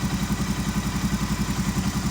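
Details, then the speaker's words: Honda 350D 4x4 ATV, key on after fuel pump replacement: new pump cycles loudly when dry, then a steady even low buzz pulsing about ten times a second as it holds pressure, apparently internally regulated to avoid flooding the carburetor; normal fuel pump cycling. "i'll turn the key on go ahead and the fuel pump will cycle especially when it's dry you'll hear it it's loud and once it has fuel and has pressure you can actually feel it just kind of all and off"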